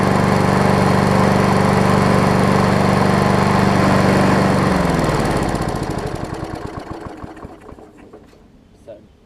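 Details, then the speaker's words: Older MTD 21-inch push mower, 3.5 hp Briggs & Stratton, after carb fix, crankshaft straightened and new air filter: steady, even single-cylinder beat at constant speed, then shut off and coasts smoothly down; healthy. "Put the new air filter on it, and seems to be running good."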